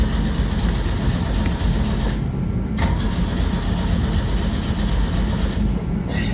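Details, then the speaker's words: 1984 Pontiac Fiero in a cold garage (about 18°F wind chill), battery on a charger. It ran rough, and two spark plugs were pulled to check them. Continuous rough cranking that never catches: cranks, no start. Owner suspects the distributor cap and rotor were refitted wrong. "I bet the cap and rotor wasn't put on right."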